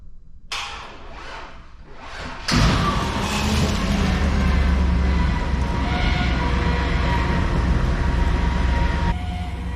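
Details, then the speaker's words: Modified 6.0 V8 2003 Cadillac Escalade, hurricane-flooded salvage car, first start with oil full and plugs fitted: starter cranks about two seconds, then it catches fast and settles to a steady, even idle with oil pressure; normal start. "ah we have oil pressure man that thing fired up so fast amazing"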